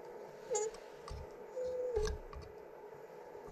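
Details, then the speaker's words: Small shower-powered generator turning slowly with short, high dry squeaks; the bearing seized and stopped rotating, so the spindle was spinning inside the bearing's bushing: seized bearing squeak. "we get clogged or i mean oh whoa something mechanically is way harder to turn you hear that the bearing is squeaking oh maybe the bearing is seized"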